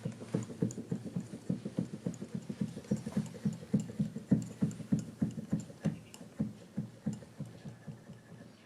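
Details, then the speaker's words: Used Kawai VPC1 keyboard, poorly packed for shipping: hollow plastic tapping on key presses, notably the E keys, some louder than others. Noisy, uneven key action. "E's, you can hear E tapping. Another tap key."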